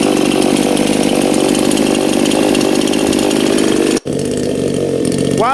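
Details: New Anbull chainsaw idling for break-in: even fast two-stroke buzz holding steady without hunting or stumbling; normal idle.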